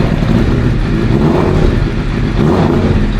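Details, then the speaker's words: Suzuki GSX-R 750 K7 under restoration: motorbike revs with an uneven, lumpy note that never smooths out, runs rough under throttle; owner suspects it is running out of petrol, not confirmed. "Oh. Oh. That doesn't sound convincing at all. But tomorrow I'll go get some gas, pour it in the tank, and then see. I think it's actually running out of petrol."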